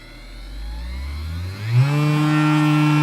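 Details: Cheap massager motor on USB power bank with PWM speed control: a buzzing whine from the coil pulses climbs as the motor spins up, then holds high and steady with a firm hum, shaking the table; normal full-speed running.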